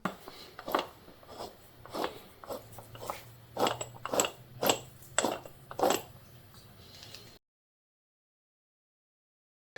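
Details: 2012 Polaris Sportsman 400 HO front differential, removed from the frame, turned by hand: rough gritty clunks about twice a second, pointing to worn, rusty gears and bearings.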